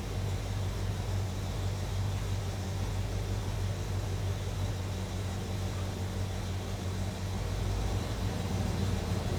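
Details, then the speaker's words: 1974 Plymouth Duster, 340 Mopar V8, Edelbrock Performer intake, 600cfm 4-barrel, points distributor, 2.5in exhaust with turbo mufflers, 727 TorqueFlite automatic; deep steady loping V8 rumble, firing even and strong with no knocks or misses; normal running. "So, we'll just take a moment now, lower this, go underneath the hood. That way, we can go ahead and fire up that 340 Mopar. Let you hear exactly what that motor sounds like."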